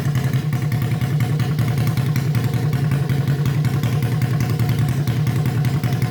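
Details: Honda CB350 basket-case twin, first start on electric start, no exhaust fitted, carbs not yet tuned; quick, even exhaust pulses with a raw open-pipe bark, no knocks or misses, both cylinders firing. Normal idle and revving.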